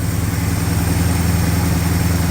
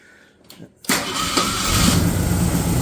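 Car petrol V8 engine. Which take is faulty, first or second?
first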